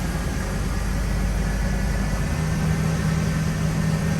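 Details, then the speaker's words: Totaled 2006 Ford F-350 V10, under 6k original miles, first start after rebuild with intake runner valve changed out: steady smooth drone at about 1200 rpm, oil pressure good, no knocks or misses; high idle on first start, expected to idle down. "It's idling real high. That's good. It's idling high. It's like 1200."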